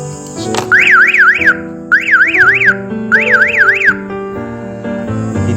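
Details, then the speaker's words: Newly installed car alarm during setup: the siren sounds three rising-falling warbling bursts, triggered when the shock sensor, set to sensitivity 2, detected the noise of something dropped; the sensor is oversensitive and the siren gets muted. "Na-sense niya kasi nung paglaglag ko nung kaya tumunog siya, na-detect niya yung ingay."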